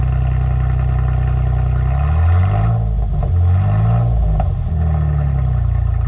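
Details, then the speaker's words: 2011 Jeep Wrangler, 3.8L V6, just fitted with a Flowmaster Outlaw muffler with dual tips on the stock exhaust: deep steady burble rises smoothly on two throttle blips and falls to an even idle with no rattles; normal. "Ooh, she sounds good."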